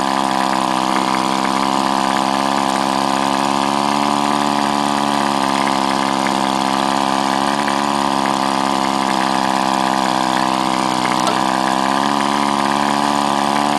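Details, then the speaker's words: Powerwise air-motor-driven ink pump air motor after kit repair, running on air pressure while housing bolts are tightened for better compression: steady even hum, stable pitch, no knocks; normal running. "now you should notice as it gets tighter you get better compression from the sound of the motor you can hear"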